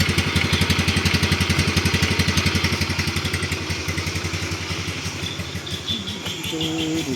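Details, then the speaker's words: Used motorcycle for sale that is hard to start on the electric starter but starts first kick: an even, regular putter of about three beats a second at idle, steady and smooth; a healthy idle. "Nah, seperti ini ya penampakannya. Suaranya sih halus ya."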